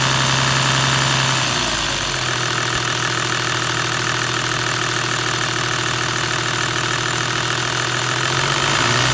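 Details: Toyota 1HD-FT diesel at idle: a hard metallic rattle at a fairly even beat running through the idle. The source is uncertain; timing gear or injection pump is suspected, not confirmed.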